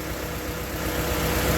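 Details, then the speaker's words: 1995 Honda Prelude 2.3 VTEC with stalling problem, intake hose off: uneven idle with periodic dip and stumble over intake hiss; misfire from a low-compression cylinder, suspected worn engine, possibly fouled plugs. "up but if you notice one thing you hear that it's got a Miss uh so there's a cylinder with low compression"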